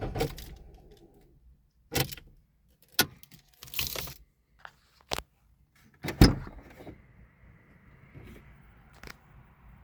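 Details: 2003 Citroen Xsara II 1.6: irregular sharp clicks and rattles inside the cabin around the dashboard, with a faint motor-like whir near the end; source unidentified.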